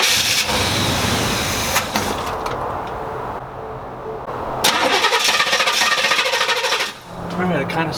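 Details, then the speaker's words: 1987 Chevrolet El Camino, carbureted, sat for an unknown time, new battery: repeated cranking with short stumbling catches that fade instead of idling; not getting enough fuel, improperly attached choke linkage found. "sounds like it's not getting any fuel, because it does start up when it breathes in those fumes that are flammable, but it runs out of those fumes real quick, and then dies."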